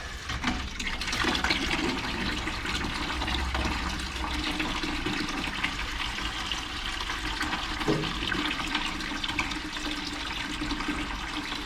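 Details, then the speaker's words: Boiler hydronic floor heat, barn start-up after thermocouple, vent damper, burner cleaning, new pilot assembly and expansion tank; steady rushing, hissing water heard at the manifold flowing out and down through the zones, normal flow, though return possibly not opening. "it seems to be flowing seems to be flowing through in here I can hear the water and it's going out here and going down through the zones"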